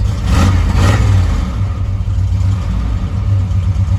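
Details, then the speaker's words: Engine idling with a faint constant whir over it from the 700R4 automatic transmission; the whine gets much worse, to a screeching whir, once warmed up. The owner suspects the pump or something inside has failed. "So you can start to hear the transmission whir. It's got a whirring noise. So once it gets warmed up, it gets real bad. It's like a god-awful screeching whir sound."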